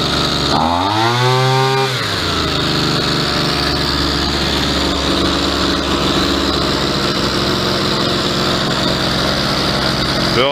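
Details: Old salvaged Sky ron CG 330 brushcutter after a new carburetor, gasket and spark plug: a quick rev rises and falls, then it settles into a steady buzzing idle that sits slightly too high. Idle speed needs turning down.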